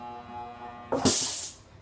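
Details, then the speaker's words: Air compressor motor at start: hums steadily, then a sharp half-second hiss of escaping air as it strains against pressure trapped in the feed pipe from head to tank; suspected failing start capacitor or check valve. "the problem that I'm having with these air compressor is that whenever I tried to turn it on the motor Moonstar like this"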